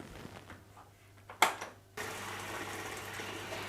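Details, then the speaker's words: Dishwasher repaired for suspected mechanical seal leak, after reattaching the sump to the steel sheet, run with the bund off: a click, a short pause, then a steady, even rush of water as it fills. Normal fill; dripping stopped. "so as the sump finished and this is now the filling routine we'll see if it gets all the way to uh running the circulating pump without dripping"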